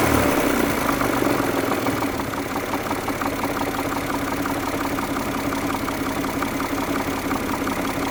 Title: Стук в двигателе mazda millenia kl 2.5